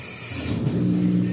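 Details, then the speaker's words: Amana front-load washer in diagnostic mode, hot water inlet valve test: brief hiss, then steady low hum and water rushing in; valve opens and fills normally. "The next test is going to test out the hot water by Satan. Probably cold water, I should say. Yep, that's hot water."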